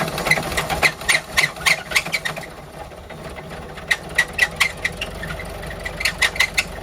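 Sharp, uneven ticking knocks about three or four a second over a low idle; something is knocking in the engine, cause unclear.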